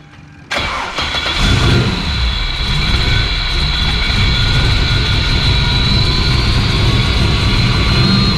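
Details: Turbo V6 Ecojet build being readied for the dyno, started after an oil and filter change, idling while parked and checked for oil drops: short crank, catches cleanly, settles into a steady, even idle with no knocks or misses.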